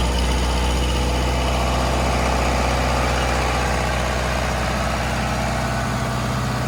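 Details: 40 kW John Deere diesel generator trailer at 3722 hours: steady, even diesel idle with a low regular chug around four beats a second, no knocks or misses; normal, healthy idle.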